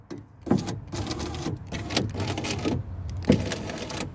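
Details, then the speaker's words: Ford Focus Ghia power window, door regulator previously disconnected: each switch press gives a scratchy rustling burst from the door with no window drive, caused by a broken regulator cable. "That's a broken cable. If you hear that sound, like rust in your door, that's a broken cable."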